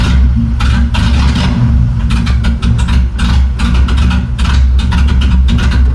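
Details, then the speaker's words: BMW E30 with M10 petrol engine idling low and unevenly with bursts of hiss, after the MAF was disconnected; it otherwise dies. Injectors and idle control valve work. Owner suspects a cold start valve lacking a fuel line or MAF/MAP issue; unconfirmed. "I just shut it off cuz it was idling extremely poor, but every time I turn it off, I got to check for leaks."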